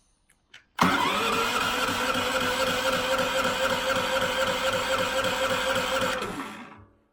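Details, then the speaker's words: Gorilla GP8000IE 8000W inverter generator, first start, freshly filled with oil and battery connected but no fuel: starter spins engine steadily at about four compression pulses a second for five seconds without firing. Turns over freely. "I didn't want to run it. I just wanted to spin some oil around the engine. So now we know the engine turns over, right?"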